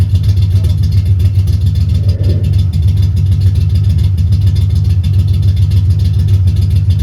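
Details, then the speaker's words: 1990 Ford Mustang LX notchback 5.0 (Pro-M 80mm MAF, 30lb injectors, 75mm throttle body, GT-40P heads, F-cam, longtubes) just started after bad EEC power relay replaced; rough, stumbling idle as if on four or five cylinders, glugging fuel—misfire, cause unknown, harness suspected. "boom it fired up sounds like garbage sounds like it's on about four or five cylinders probably because it's just glugging like crazy"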